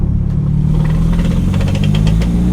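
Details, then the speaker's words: Nissan S15 under full throttle with boost turned down to wastegate: climbs a little then breaks up into a flat, rough drone with clatter as boost arrives; sounds electrical, owner suspects coil issue or one cylinder running rich. "want to see if it'll wrap it's a little rev up there it just won't it doesn't like boost"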